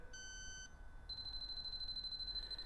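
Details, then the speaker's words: Refrigerant leak detector for R134a and HFO-1234yf, sniffing at a slightly depressed Schrader valve: shrill steady high beeps shift to faster, higher tone as it picks up refrigerant; leak detected. "we're gonna create a small refrigerant leak and we're gonna see if it fix finds it as you can hear it's picking up refrigerant all I did was depress the Schrader valve a little bit"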